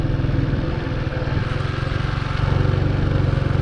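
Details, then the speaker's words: Big Boy Superlite 200cc manual single in first gear. The clutch is pulled in for braking. Quick, even exhaust pulses rise to a higher rev because the clutch is in. Normal free revving with the clutch disengaged. "back the clutch in for the brakes and you can hear it's very quite high um that's because the clutch is in"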